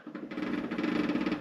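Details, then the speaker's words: Honda VFR800 motorcycle, bench test with wheel blocked, turning the engine past compression: a rapid fluttering chatter of about eighteen pulses a second lasting roughly a second as the clutch slips at about 30 Nm, despite an earlier in-tolerance inspection and cleaned basket. "That jutdder is the clutch slipping."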